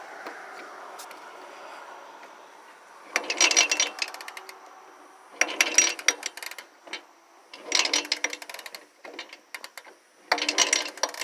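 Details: Suzuki 125 two-stroke big bore, cold start: four kick-start cranking bursts about every 2.5 seconds and it never fires, so it won't start. It had run earlier, then shut off; the cause is unknown.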